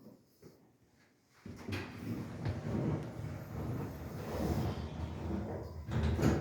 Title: traction elevator with weird noise LOW ON OIL